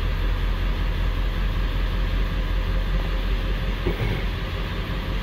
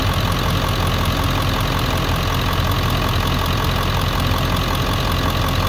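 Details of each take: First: 1999 Ford 7.3L Powerstroke diesel that logged a P1280 code at startup, after troubleshooting: steady, even idle with a low, uniform rumble, no misses or stumbles; service engine soon light out and no DTCs. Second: 1999 Ford 7.3L Powerstroke diesel pickup logging P1280 at startup, ICP sensor unplugged: idle clatter slightly uneven and hunting as the PCM holds about 750 rpm using only the IPR valve; service engine soon light comes on.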